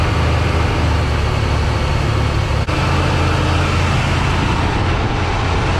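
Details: 1979 Ford F100, 300 straight six, parked since 1992, first start: Holley 390 four-barrel carb, Offenhauser dual-port intake, new Hedman headers smoking heavily, cooling system on plain water. Strong, steady low rumble at an even idle with no stumbles or knocks; idling pretty good.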